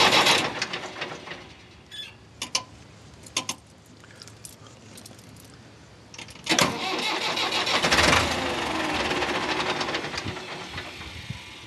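Starter cranks in uneven bursts and the engine never catches, even with the throttle held open; cranks but won't fire.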